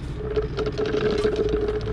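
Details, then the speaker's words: Subaru boxer engine during a top-speed autobahn head gasket stress test. Soft, irregular bubbling in the coolant tank over the engine hum, indicating a defective head gasket that needs replacing; the engine had also started knocking. "sometimes a few bubbles aren't that bad but you can definitely hear it cooking"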